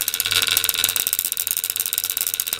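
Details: Antique violet ray medical machine (design shown from 1893), argon-filled glass probe, started with its control turned right down, arcing from the probe: a harsh, high-pitched, steady crackling buzz with no mechanical rattle, as the high-voltage unit fires normally.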